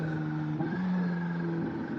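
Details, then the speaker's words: Kawasaki ZH2 supercharged motorcycle on a test ride after code clearing, correct power mode: engine note steps up cleanly on the downshift under power and settles smoothly, no clunk or stumble; normal shifting. "Downshifted good. Taking turns okay. She feels balanced."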